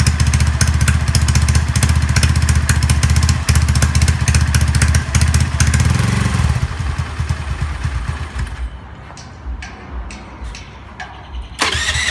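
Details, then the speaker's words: Honda Zoomer-X fuel-injected scooter: starts, thumps briefly, then beat slows, turns ragged and dies, worse when throttle is opened; caused by a weak electric fuel pump, pressure to be checked with a gauge. "ในส่วนของคลิปนี้เราอยู่กับHondazerรหัสxนะครับกับอาการปัญหาที่ว่าสตาร์ทติดแป๊บเดียวเครื่องมันจะดับเองครับ"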